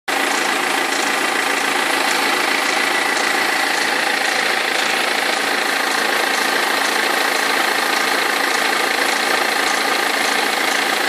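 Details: 2003 BMW E46 320d diesel at idle: loose, uneven rattle and knock about three a second over diesel clatter; perished crankshaft pulley vibration damper, both belts eventually fell off.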